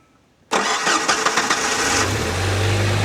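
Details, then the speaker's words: 1998 Jeep TJ Wrangler started on a jump box with battery disconnected: catches at once, short flurry of uneven chatter, then low steady hum; runs slightly rough, owner says this Jeep needs battery connected to run right. "It don't run right with the battery disconnected cuz it needs the battery connected all the time. That is just a problem with this particular Jeep."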